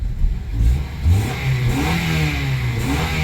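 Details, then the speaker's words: 2004 Honda Accord engine blips and settles cleanly, deep and even, after the failed ignition coil was replaced with a spare; check engine light out, little hesitation, now smooth with no misfire. "Check engine light is out. Little hesitation. She nice and smooth now."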